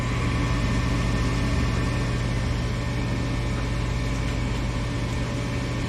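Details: Furnace blower motor with capacitor from 2018: steady low hum with a slightly rough undertone and no clean whir; worn capacitor suspected.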